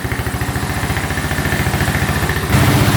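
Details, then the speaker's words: 2012 Honda Rancher 420 4x4 ATV idling with air filter off, slightly lean with occasional backfire: fairly even single-cylinder thump, no codes, no oil leak; sounds healthy. "sounds pretty good. Sounds really good."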